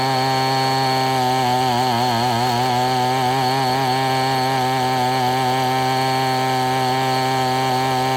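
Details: Abandoned weed eater after crimping the wrong-side fuel line so it draws only from the correct side: steady, high, even two-stroke buzz at constant pitch, no surging or dropouts; running cleanly.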